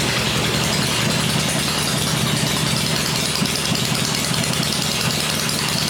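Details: Rebuilt 96-inch V-twin with Edelbrock heads, first run on an engine stand, 40 psi oil pressure, quiet: steady, even loping at fast idle with consistent beat, no knocks or misses; normal running.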